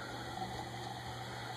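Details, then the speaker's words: c.1983 Canarm PleasantAire commercial ceiling fan motor, new in box, running without blades after oiling the bearings: steady hum under soft slushy hiss from excess oil; earlier rattly grinding gone. "that's what I mean by the uh wet bearing noise is what I'm going to start calling that it's the opposite of dry bearing noise but the grinding noise is gone"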